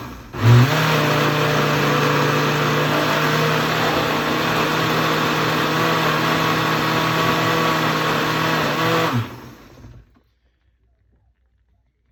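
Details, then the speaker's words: Blender crushing ice: steady loud motor drone with rough, gritty edge for about nine seconds, then shut off; motor sounds strained and grinding, owner suspects blender is wearing out. "I'm gonna cut the camera because I can tell the blender is in fact getting shot they don't last that long the motor I can hear it grinding"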